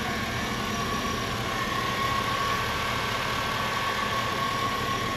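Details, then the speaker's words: 2005 GMC Yukon, stock 5.3 LM7 V8 at about 239,000 miles, hood open: smooth, even idle with no knocks or misses, faint steady accessory hum behind; all stock, runs like a champ, healthy. "Runs great, runs like a champ, and that's really why I bought it."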